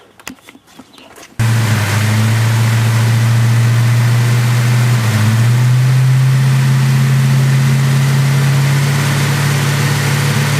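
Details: Ford Mustang petrol engine idling with a slightly uneven, stumbling beat from a misfire the owner cannot locate.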